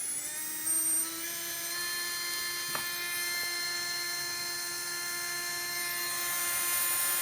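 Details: Readytosky 1804 brushless quadcopter motor on a vibration test after calibration: a high buzzing whine with a rough, rattly edge climbs slowly with speed. Bad bearing shaking the motor; magnets reportedly come loose from vibration.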